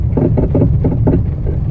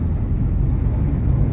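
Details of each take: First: Fiat Strada front suspension before suspension overhaul; irregular hollow clunks about two a second knocking through road rumble over bumps, worn ball joint and tired front shocks. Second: Fiat Strada Adventure after a suspension overhaul with new shock absorbers, driven over a speed bump on a dirt road: only a steady low rumble with no clunks or rattles. The suspension is firm and normal.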